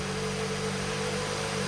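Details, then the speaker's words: Car being built for the owner's dad, first start on a booster box in the trunk after a low battery, then left to run: steady, even, healthy idle with a smooth low hum and faint constant tone, no knocks or misses, no leaks. "It sounds healthy. It sounds really good. Let it run for a couple minutes."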